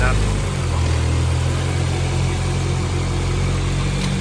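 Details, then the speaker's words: 2001 Civic, 300,000 miles, with a K24A swapped in and converted from auto to manual, on its first start: a steady, even idle with no knocks, ticks or misses, sounds healthy and responsive. Only issues noted are the O2 heater and a small O-ring leak under the intake manifold. "It sounds good, doesn't it? Yes, responsive. Yeah. That is pretty damn good."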